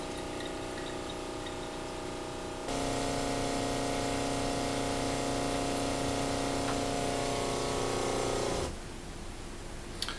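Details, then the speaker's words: Off-grid rainwater system, small pressure-switch pump: kicks in with a steady, even hum for about six seconds then cuts off cleanly; normal, louder than usual because the door is open. "Pump's not usually as loud as that, it's just I've got the door open so you can hear it working."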